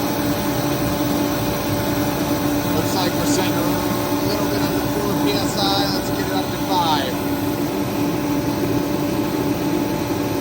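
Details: Remington 135 (REMT-135T-KFA-O) forced-air heater, previously not igniting or spraying fuel, repaired and pump pressure being set to 5 PSI; steady, even roar from burner and fan with no sputter or surging; normal running.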